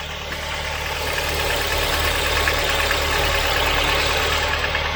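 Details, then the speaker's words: Volvo 940 Turbo uneven idle, swelling and sagging slightly, running rich and rough; owner switches off fearing fuel leak and fire; cause is a leaking fuel pressure regulator, as on every old Volvo he has owned. "i'm going to turn it off before it leaks fuel and just catches fire guys every time different symptoms each time as well just to make it interesting each time it has been the fuel pressure regulator"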